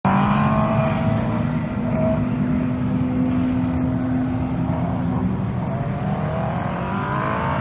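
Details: 2001 Yamaha R1 engine in a modified square-chassis dwarf car during autocross: high revs under hard load sound ragged and stumbling, not pulling cleanly; misfire, cause unknown.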